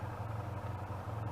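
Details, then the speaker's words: 1986 Honda Interceptor 500, hot after town riding, thermostat removed, fans running: fast even idle with steady throb and fan whir; idles 1,000 rpm from cold but 3500-4000 rpm once warmed and stopped; cause not known. "Still feel like it's wanting to idle fast. Once you get running down the road and run it for a little bit, it's wanting to idle. But if you just crank it up and let it sit there, it'll idle 1,000 RPM."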